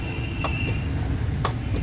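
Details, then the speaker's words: Maruti Alto with AC fault, compressor fed directly to test wiring: two sharp clicks a second apart over quiet engine hum as clutch engages and compressor runs; line from relay to compressor fine, relay coil/pin not getting current. "Compressor का आवाज़ है, मतलब current ठीक flow हो रहा है।"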